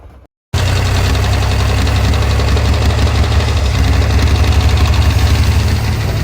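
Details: 1948 Pontiac Silver Streak straight-six, sitting unused since the early 1990s: lumpy idle with a light, uneven tapping knock about four per second, cause unknown; owner plans to check the oil pump and add an oil pressure gauge.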